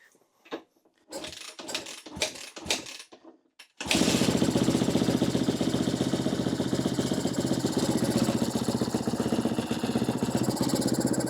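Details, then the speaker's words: 2013 Kawasaki KX250F fuel-injected, after head and valve replacement following a dropped valve: catches after several kicks, low lumpy idle about four beats a second, wheezing for fuel and air; idle set too low. "It sounds like it's just wheezing for fuel, too. Wheezing for air. Got to turn this idle up."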